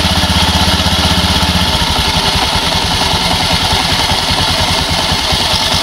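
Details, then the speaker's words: Automatic scooter right after crankshaft seal replacement, test start: quick regular putter settling after a couple of seconds, no tapping or grinding, very smooth; normal idle. "Oke ya, jadi motornya ini udah hidup, mantap. Dan ini suaranya sangat halus."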